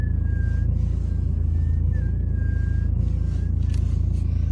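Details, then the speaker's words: BMW 3 Series E90 in winter (December, cold weather): thin wavering high squeak and whistle over engine hum, mostly near the top of the steering wheel's turn. The owner suspects a rubber part, cause unconfirmed. "Руль в BMW скрипит и свистит. Поэтому слушайте очень внимательно."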